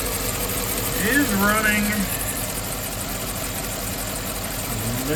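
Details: 2007 Chevrolet Suburban from auction, V8 idling in the shop after a tick heard at first start went away on moving it: slightly uneven, lumpy beat with no tick left; a little rough idle, cause still unknown.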